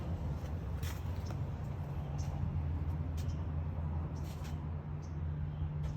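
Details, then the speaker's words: 2010 Ford Ranger idling after the new fuel pump was installed and the battery reconnected, tested before the top cap and bed go back on; the fuel pump was the problem. Low, even rumble, steady idle with no misses or stumbles. "there you go that's our problem now go ahead and put the cover back on here now that I know it runs"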